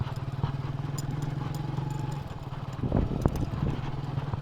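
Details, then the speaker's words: Hero HF Deluxe motorcycle riding after a rear half-axle bearing replacement: engine thumps evenly with no grinding from the rear wheel. "Finally സംഭവം ready ആയിട്ടുണ്ട്. ആ കരയരപ്പ് sound ഇല്ല കേട്ടോ."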